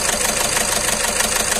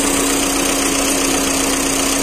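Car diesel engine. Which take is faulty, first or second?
first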